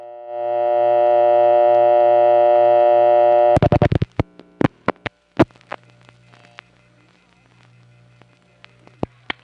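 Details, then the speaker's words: West 73rd Street coin test line in New York, unused for 4 years: a steady multi-tone signal cuts out into scattered clicks and bursts. The tones are inconsistent; the owner suspects the equipment is falling apart or the relays are dirty and dusty. "I don't know whether it's falling apart or the relays have gotten super dirty and dusty, but whatever it is, the tones become inconsistent, and trying to record this was a bear because it kept malfunctioning."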